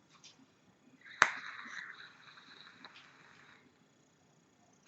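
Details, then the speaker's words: SQuape X[dream] atomizer (22 mm, 4 ml) vaped with the airflow ring closed down: a soft hiss with a thin, steady high whistle on each draw. The tight airflow setting makes it whistle. "par contre dès qu'on referme il fait un bruit il Siffre il fait il fait du bruit"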